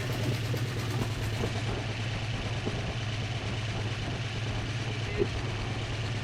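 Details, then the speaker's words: Old V8 after rebuilt carburetor's leaking needle and seat was fixed: low, even idle with quiet steady rumble and light ticking; smooth, no longer flooding. "hear fix that carburetor that sounds nice doesn't it"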